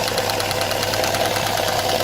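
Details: Opel Vectra A: light, quick ticking over a steady idle that never lets up; valve tapping from a worn, pitted camshaft lobe that only partly opens the intake valve. Heard after oil feed to the camshaft was checked.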